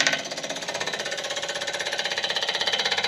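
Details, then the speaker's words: Electric pulse fuel pump that had sat on a shelf a long time, priming a $300 Small Block Chevy 350 on a DIY engine run stand before first start: a steady, sharp, even ticking about three times a second; it works normally. "so the first thing we need to do is does that clicky clack even work it's been sitting on my shelf forever oh yeah"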